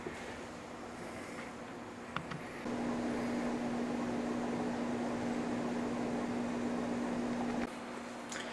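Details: Outdoor condenser fan motor of an HVAC air conditioner after prying the rain guard up the shaft so it no longer rubs the motor body: steady low hum for about five seconds with no scraping, motor spinning freely.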